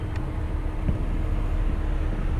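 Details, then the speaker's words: 2012 Ford Fiesta after mode door actuator repair, engine running: steady blower hum and rushing air through foot and vent modes with no clicking behind the dash; normal HVAC mode door operation. "now go ahead and switch the modes that's off next mode no clicking sound got air in the foot compartment we got air coming out of the vents and no clicking sound"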